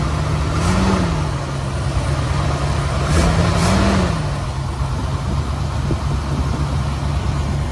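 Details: 1979 Ford Bronco V8 first start after about 15 years of storage, choke held open, fuel fed through filter, starting fluid used; rumbling idle with two quick throttle blips settling back, still rough.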